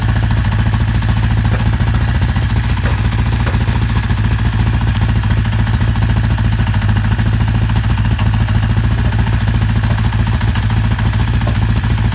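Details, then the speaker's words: 1983 Honda CB1000 motorcycle first running after cleaning: uneven, lumpy idle with a stumbling low thump; one cylinder not firing properly, owner unsure whether spark plug or low compression. "you can even see that it's working a little bit rough so that basically the the one of the cylinders was not really firing"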